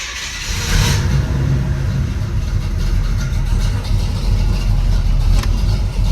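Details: Pontiac Grand Prix G-body with cammed 305 small-block Chevy after replacing the faulty plug wire and boot: lumpy cam rumble revving cleanly with no stumble or misfire; running healthy.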